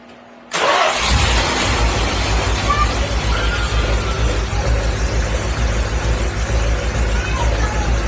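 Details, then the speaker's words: 1966 Dodge Charger, engine rebuilt in 1981, due a tune-up (last one when the owner was 14), cold start: catches after short crank and settles into a steady, even deep idle; sounds healthy, still running like a champ. "sound too bad. My dad rebuilt that in 1981. Still running like a champ."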